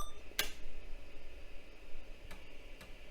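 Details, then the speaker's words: Vintage 1980s–90s PC booting a double-density IBM DOS floppy disk: a few crisp head-seek ticks over a quiet hum as the drive reads the disk and the system boots; normal floppy drive access. "sounds like it's booting yeah check it out that thing booted awesome so that drive works"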